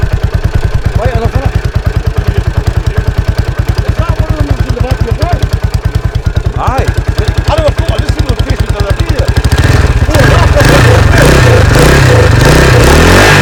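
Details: 1983 Husqvarna 510TC four-stroke single, recently rebuilt after fire damage: a steady, even idle thump, then a clean crisp rev with no knocks or rattles; sweet-sounding, normal running.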